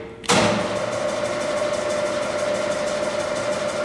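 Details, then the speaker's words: 1982 Aronson HTS20GE 20,000 lb headstock/tailstock welding positioner rotation drive: motor kicks on, settles into smooth, steady mid-pitched whine; running normally. "so on and this is rotation that's up and down so one rotation we go the other way it all runs nice"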